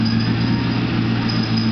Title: Clutch-related screeching sound (1998 LS1 6-speed)